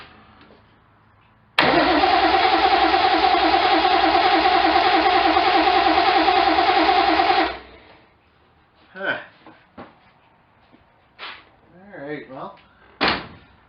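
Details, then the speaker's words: 1972 Triumph TR6 after reassembly, no exhaust fitted: about six seconds of steady even cranking near 200 beats a minute with no catch; spark plug wires in wrong firing order, and at top dead centre it appears off by one. "okay let's try this again guys I did have a firing order all the wire is all mixed up must not have laid them out great when I took them off"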